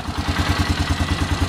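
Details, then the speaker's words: Polaris Sportsman 500 ATV after pulse (trigger) coil replacement, idling with cover temporarily bolted on: even, quick exhaust pulses about ten per second, no misfires or stumbles; single runs cleanly. "sounds good so hopefully this video has been helpful"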